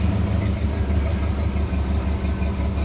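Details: 1959 Pontiac V8 at idle in park after reinstalling spark plugs: lumpy, stumbling, irregular idle barely staying running with belt squeal; bad misfire that clears when given gas; owner suspects carburetor.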